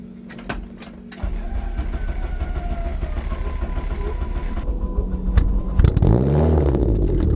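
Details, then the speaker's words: Free Mitsubishi Eclipse over 30 years old, burns excess oil and fouls plugs, first start after nearly a year sitting, new battery: brief crank, catches, fairly even idle with blips; normal start. "It sounds like it's running. We're gonna call that a success. Haven't started the car in very nearly a year, and it seems like it's working perfectly fine."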